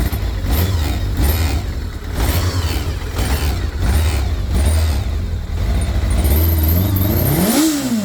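Inline-four revving up and settling with an uneven clattery note under the exhaust; something sounds off, cause not pinned down. Cause suspected, not confirmed.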